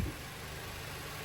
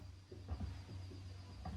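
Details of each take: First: VW/Audi Gen 3 EA888 1.8/2.0 TSI (canister oil filter) start after oil filter housing/anti-drain-back valve repair: smooth, even idle with a steady low hum and no rattle or tapping. Normal idle. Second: VW Gen 3 EA888 1.8/2.0 TSI with canister oil filter, cold startup: faint clicks, then a brief metallic rattle settling to a steady idle. Oil drains back from the filter housing to the pan overnight; the fix is the anti-drain-back valve or filter housing.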